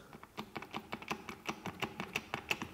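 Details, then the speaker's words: Removed original driveshaft from Volvo XC70 (P2, US) that caused vibration under acceleration: sharp, quick clacks as the shaft is rocked by hand, showing play in the inner CV joint, the probable cause. "jo sakra a tady v tý žádnej vakl prostě není takže to bylo pravděpodobně ono"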